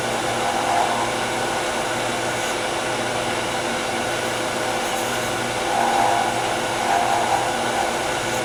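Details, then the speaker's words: Wood lathe at high speed: shallow fluted gouge chatters as the overhanging miniature workpiece vibrates; steady whir with brief buzzing bursts. Fix is light cuts, high speed and sharp tools. "i'm going to change tools go to my shallow fluted gouge and you can hear a lot of chatter that's because this piece is hanging over it's vibrating so light cuts high speed sharp tools"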